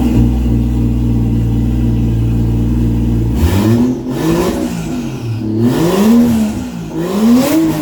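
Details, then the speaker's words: 1JZ-swapped Nova with open downpipe: loud steady idle, then repeated revs rising to the same ceiling and dropping back; fuel cut limiter near 5500 rpm, cause not yet known. "uh you might have been able to tell there is like a 5500 RPM limiter there some sort of fuel cut it's pretty common it can be caused by a couple different things"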